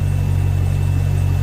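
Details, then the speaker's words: Volvo Penta 6.0 marine inboard, low hours, warming up after head gasket install: steady, smooth low rumble with an even beat, no knocks or squeals; no alarms, good rpm, healthy idle. "see what else we got warming up good rpm"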